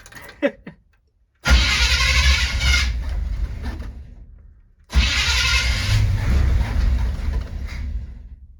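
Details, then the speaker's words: 1970 C20 truck V8 with low fuel and no choke hooked up. It starts twice, runs a couple of seconds each time, then fades and dies instead of settling into idle; stalling after start. "and a little all right so it's not getting idle right off the bat let's just see if it sometimes they like to catch if you just leave it alone [Music] nope didn't work"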